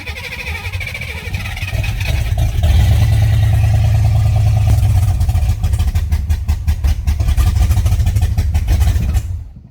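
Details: Fox-body Mustang V8, first start in 18 years after harness swap and injector work, fuel pump disconnected after priming, no radiator or belt: cranks, fires, lumpy V8 rumble for nine seconds, then dies as primed fuel runs out.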